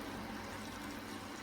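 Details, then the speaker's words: Bush F721QW washing machine, top off, empty, quick wash program 7, bearings checked okay by hand: steady soft hiss and trickle of water entering the drum, no pump strain or knocking; normal fill. "so hopefully it should take on some water then in a moment yeah so far so good"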